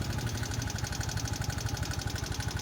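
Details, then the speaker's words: Yamaha Mio Soul i125 scooter idling with a sharp fast tick over the exhaust beat; worn camshaft bearing caused tappet adjuster clearance, bearing replaced along with piston ring assembly. "May lagatik po itong motor na ito ngayon hanapin natin yung lagatik yung lagatik ng motor Yan malatik po ito ang motor na ito sa parteng Dito"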